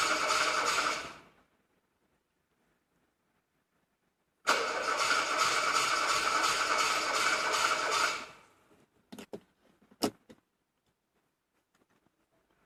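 Two bursts of even starter cranking at about four turns a second, a short one then a longer one; the engine never catches.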